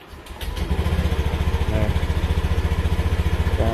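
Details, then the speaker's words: Used motorcycle, about four months old with 2,620 km: fires with rpm high at first then dropping, settling into an even, steady exhaust pulse about four beats a second with no knocks or rattles; normal start. "tinggi dulu kan rpm-nya tuh baru turun"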